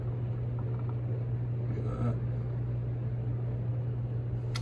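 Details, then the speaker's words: SMC/Galleria 30-inch hugger ceiling fan, new, on the factory speed control, the quietest setting: steady low hum under soft air noise that never wavers; 60-cycle motor hum, louder than an Emerson on high. "you can kind of hear there's some hum based on the the factory settings this is actually the quietest speed it's not too bad but I mean it's definitely there"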